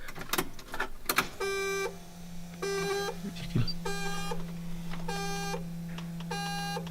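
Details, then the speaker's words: Datsun 280Z with replacement engine, key on: chimes, then the fuel pump hums continuously instead of shutting off, which it didn't do before the engine swap; owner suspects the oil pressure switch or sensor, not confirmed. "Once the beeping stops, the humming of the fuel pump in the background, that never stops."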